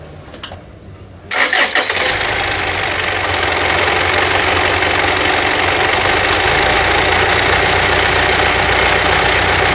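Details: 2011 Mitsubishi Triton 3.2 diesel pickup, about 10 years in use, recorded from underneath after an automatic transmission fluid change and brake service: cranks, catches in about a second, then steady even diesel clatter at idle; normal start and idle.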